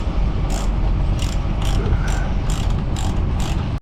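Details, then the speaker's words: Lewmar 58ST electric winch being rebuilt after making noise, bolts tightened with Lanocote: crisp, even pawl clicks at about two per second, with no grinding or catching; sounds healthy. "okay now all the bolts are tied down ah that sounds pretty nice"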